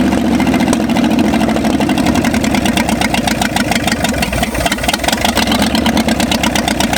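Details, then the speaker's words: 1965 Ford F250 V8 after 26 years parked, only briefly run, no blow-by yet: rough, choppy, stumbling near idle; seems to have too much timing, seized distributor needs turning; over-advanced ignition timing. "it's like it's got too much timing so we're gonna have to move the distributor"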